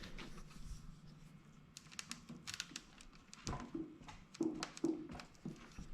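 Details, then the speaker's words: LightCarbon LCE930 e-bike fork rocked: irregular light knocks and clicks from headset play, lower headset cup bored oversize for lower bearing so the fork rattles and flexes; likely unresolvable frame issue. "The main deal breaker with this bike that I've had is the lower headset cup was like bored too wide. It's oversized a little bit for the lower bearing to where I have this fork play."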